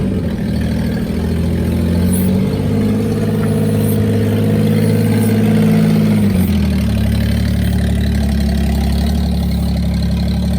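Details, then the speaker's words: Daihatsu Hijet pickup, first start after sitting in a barn about 6–7 years, started with a full battery: even, smooth idle with one small speed shift and no knocks or misses; running fine. "we finally got her out of the garage as you can hear she's running fine"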